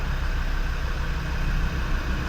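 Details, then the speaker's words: Land Rover Defender TD5 diesel just started after injector loom change, quick service and 7 L oil top-up: steady, even low rumble with no knocks, misses or hunting; smooth, settled idle. "So, right, let's see if it fires up and see if it works now that we've changed the injector loom and given it a service off quick. Yeah, happy with that"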